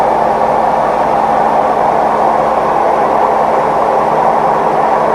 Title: Maytag Neptune MAH19 - ramp up to max extract (bad bearings + unlevel)